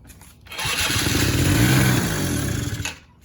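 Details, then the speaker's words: Can-Am Bombardier DS 50 quad that had not run in a while, small two-stroke: buzzes up and races for a couple of seconds, then drops off; revving because it has no gas, running super lean. "the reason it's revving up is because it's got no gas it's it's running super lean"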